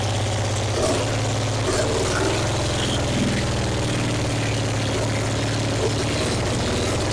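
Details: 1966 Triumph Spitfire MK II, off the road 41 years, after refitting the valve cover: catches and holds a low fairly even idle on its own fuel, very loud from a large exhaust hole.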